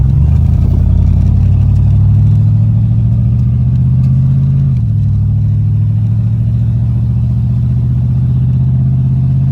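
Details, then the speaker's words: 1983 Capri V8 with factory cast exhaust manifolds, after welding shut the exhaust leak: a deep, even rumble with no ticking or puffing, leak fixed. "That's pretty good. I don't hear it fixed."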